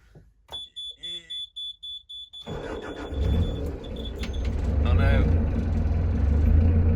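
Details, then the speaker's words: Narrowboat diesel engine, evening start, overdue for service: beeps, then catches and runs a little unevenly before settling to a steadier low idle thrum; owners suspect the fuel filter, unconfirmed. "yeah it's stabilized i'll just put some reds on just yeah that's fine so as usual we have absolutely no idea what that means but we think it might be the fuel filter"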